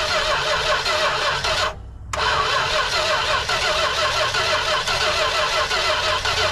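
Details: Industrial 440 engine, gasoline poured in to start it. Steady starter churning while the engine pops but never catches, a short pause, then more cranking: won't fire and run. Cause suspected, not confirmed.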